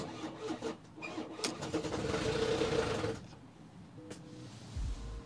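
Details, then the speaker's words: Non-runner car bought cheap after breaking down on the road: starter churns in an uneven rhythm and the engine nearly catches but never fires; owner suspects a snapped, broken or slipped timing chain and stops cranking. "it almost started then I'm not going to do that again because one if I was a mechanic watching me through the lens or the video right now I'd be like mate what are you doing just leave it it's got a snapped a broken or slipped two for the timing chain you're gonna ruin the engin"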